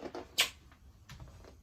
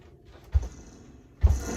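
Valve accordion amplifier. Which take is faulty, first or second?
first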